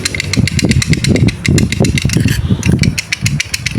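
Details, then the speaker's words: Vespa Excel engine split open, clutch not yet installed and turned by hand: loose metallic clicking at about five ticks a second, a rattle from the clutch. "Nah, ini mumpung ee kopling belum kita pasang ini, kita perdengarkan dulu suaranya ya saat kondisi di kopling tuh seperti ini, Teman-teman."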